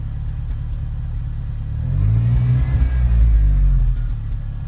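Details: 1986 Ford Ranger 2.3 L manual RWD at idle: low rumble swelling and sagging unevenly, speed hunting rather than holding steady; rough, inconsistent idle, cause unknown.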